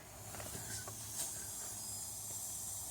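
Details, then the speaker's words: Yamaha Banshee two-stroke during a leak-down test at under three pounds of pressure: a steady high hiss from a leaking intake manifold gasket. "it's over here it's a gasket leak on the uh intake manifold right here"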